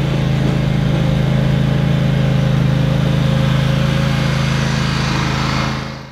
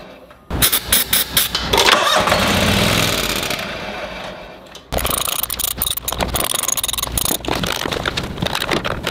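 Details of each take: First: Toro Wheel Horse 522xi being diagnosed for a no-start after four months parked, with fuel pump replacement tried: a steady, even low drone at constant speed with no misses or surging until it winds down. It runs normally. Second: Toro Wheel Horse 522xi lawn tractor that ran when parked four months ago: starter grinds engine over in long bursts with steady compression pulses but never catches; fuel pump suspected, not confirmed.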